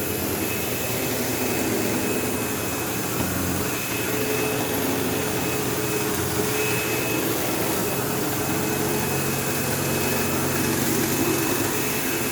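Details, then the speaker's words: Sebo Automatic X5 upright vacuuming a living room: steady roar with coarse buzz and rattle, occasional belt-slip-like squeal; belt had tension; owner suspects worn material where the end pulleys seat the brush roll on its shaft, causing play, vibration and buzzing. "Yeah, so I don't know if you could hear how bad that buzzing sound was. And like I could even sometimes hear like a squealing noise, almost like a belt slipping, even though there's no belt in this."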